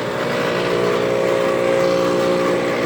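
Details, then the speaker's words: 1997 Ruud outdoor AC condenser, about 27 years old and no longer cooling well, audible from ~25 feet: loud steady hum with a coarse fluttering rattle, far noisier than normal; unit is worn out. "don't get why it's so loud. It's already done. It's a loud unit. I can hear it all the way up from over here, like 25 feet or something."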